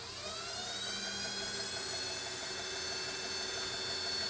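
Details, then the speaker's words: EV West electric motor accessory plate driving AC compressor, vacuum pump and power steering, first power-up after installation: quiet whir rising then holding smooth and steady, vacuum and power steering nearly silent, normal accessory drive. "i'm able to talk normally with this even if this air conditioning compressor was engaged and it was compressing it'd be really quiet the vacuum as you can hear is pretty much dead silent and the power steering is silent"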